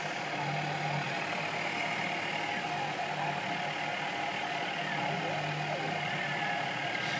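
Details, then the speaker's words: Sieg KX3 CNC mill cutting a logo into Trespa: a steady mid-pitched whine with faint tonal bands rises and falls as the stepper motors drive the table and the head. This is the normal, intended stepper noise. "tantly is the stepper motors which drive the table from side to side and fall back and also the head up and down gently working away to themselves incidentally it is actually supposed to make that noise"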